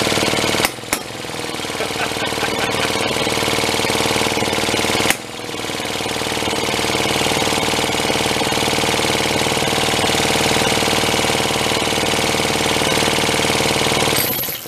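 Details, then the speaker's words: Pre-war Elgin cycle engine stored 45+ years, drill-cranked with fuel shot down the throat: whir with occasional sharp pops, about two in fifteen seconds, won't keep running; intermittent firing, weak, intermittent spark suspected. "Yeah, I think we just have too weak a spark for it to do what it needs to do. It's kind of like a hit and miss engine, isn't it?"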